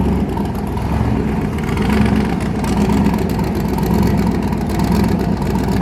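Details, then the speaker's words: Twin-turbo V8 on first start with new turbos, boost controllers not yet connected, recent new head gasket: deep, steady lumpy rumble, even beat, no misfire gaps, all eight exhaust pipes hot; about three psi boost at 3200 rpm. "all eight pipes are nice and hot um with the Boost controllers not hooked up at all yet uh we've got up to three pounds at 3200 RPM you can hear it"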